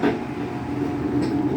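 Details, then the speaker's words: Whirlpool washing machine that would not spin, after replacing the actuator; constant droning rumble with a steady mid tone during the spin from the damaged drum bearings, worn drum bearing. "you can hear the sound of the from the bearings that I told you about but they are already starting to squeeze"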